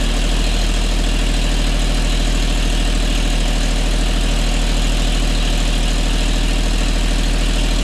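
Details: Custom 1950 Chevy Styleline, run after sitting over five years, has a low uneven loping idle; owner had been adjusting vacuum lines and idle and found a cut vacuum line plug; rough idle.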